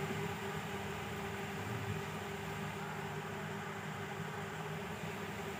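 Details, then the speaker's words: Inverter cooling fan after it had jammed and stopped, opened up and its rod cleaned: quiet, steady whir with constant faint hum, no scraping or stalling; the small fan spins freely and evenly, running normally. "यह देखिए मेरा fan चलने लगा है"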